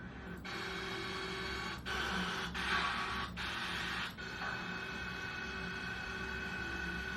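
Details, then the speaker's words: Industrial machine bearing in an NVH vibration-analysis lesson, known-good unit run on the same equipment at the same speed as a faulty one: even, steady hum with a light swishing belt sound, no knock or grinding; normal healthy bearing. "찰랑찰랑하는 소리데.요 벨트 소리. 요게 정상"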